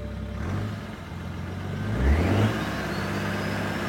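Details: BMW 335d 3.0L bi-turbo diesel, after reinstalling the lost intercooler gasket that had caused a major power loss: revs up cleanly with a smooth rising turbo whistle and settles back, no boost hiss; normal revving, system sealed.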